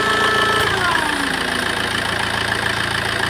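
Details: Tata Safari Storme engine with a noise at idle: steady high whistle over a rattly four-per-second idle beat, pointing to a worn turbo core with shaft play.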